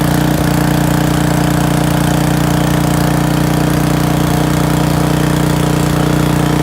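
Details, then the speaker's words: Briggs & Stratton 6.5 hp pressure washer engine with air bled from the pump: steady, even mid-pitched beat at constant speed with no misses. The engine runs normally, but the pump gives the same pressure whether running or not. "all right well it looks like the engine runs good but pump puts out the same pressure whether it's running or not"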